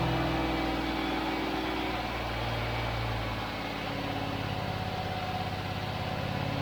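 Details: Range Rover (Lincoln Green) first start, freshly serviced ignition, fed from a jerry can not the tank, no alternator output: fast choke idle, slightly uneven with a hollow hunting note; dies off choke, owner judges it running lean.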